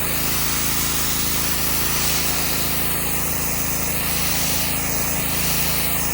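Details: Subaru EA190V pressure washer, years unused, fitted with a cheap replacement carburetor: small engine holds a steady, even drone under the spray-wand hiss while cleaning concrete, no hunting or surging; runs healthy under load despite questionable old fuel.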